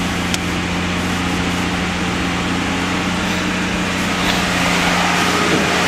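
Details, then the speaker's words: AMC Eagle 258 six after TFI ignition upgrade and carburetor fiddling, owner thinks choke may be on backwards: steady, smooth idle held noticeably fast, all cylinders firing evenly; high idle, cause unconfirmed. "but there it sounds like I'm running all cylinders see there's a high idle"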